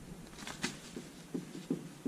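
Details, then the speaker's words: 1978 first-generation Honda Civic rear drums, car jacked up: soft irregular clunks as the hub is rocked by hand, with lots of slop despite new wheel bearings; noise present even with the wheel off. "s all jacked up you can probably hear it same with the other side doesn't sound too bad turning it but lots of slop"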